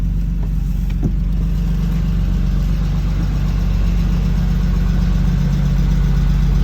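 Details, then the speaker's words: 1992 BMW E36 325i after replacing a suspect fuel pump on a previous no-start; after a couple of pedal pumps it starts and settles into a steady, even low idle with a smooth regular beat, no knocks or misses. Normal idle. "just pump a couple of times and it starts it actually sounds"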